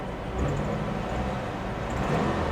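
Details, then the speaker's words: 2004 Saturn View, believed 2.2 L Ecotec four-cylinder with manual transmission, parked for years; low even hum with no knocks, ticks or misses, a steady smooth healthy idle. "Engine sounds good."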